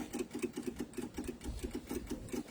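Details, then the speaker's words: MEP-002A military diesel generator unused for decades with rusty diesel from corroded steel tank, first start attempt before glow plug preheat: quick even clicking about five ticks a second, electric fuel pump purging air from fuel lines; engine not running. "okay so what we want to hear is we want to hear this the fuel pumps click that sound like it had a little ear in"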